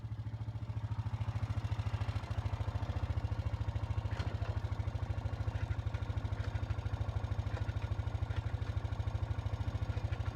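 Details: 2007 Honda Foreman ES quad after fixing a no-shift grinding fault (two failed bearings let the gear reducer wheel strip its teeth; bearings replaced): small single idles steadily with even quick pulses, no grinding or clatter, healthy.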